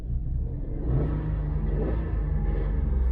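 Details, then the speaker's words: Vauxhall Corsa three-cylinder (compared to C1s), well-serviced with a clean oil filter, starts on the button with no warning lights; steady, even idle thrum with no knocks or rattles; normal idle. "she starts on the button no warning lights and she's got that happy little thrum of these little three cylinders so that sounds like every c one i've had before"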